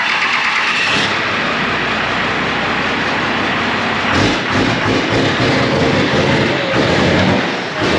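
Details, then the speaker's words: 1995 Dodge 12-valve Cummins diesel pickup, 307k miles, after a cross-country drive to Wyoming: short crank, then catches and settles into a steady, gruff, even clatter; starts and runs fine, though owner notes it is cranky on cold mornings. "So overall, I mean, we came out pretty unscathed. It still starts up and runs just fine."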